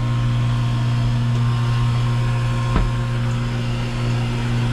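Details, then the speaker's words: Manitowoc commercial ice machine on a blank LCD touch pad call: running and dropping ice, with a smooth, constant compressor hum and no knocking or squeal; normal running. "you can hear the compressor running it says it's making ice so i just want to see this thing drop ice and we're going to call it a day from here"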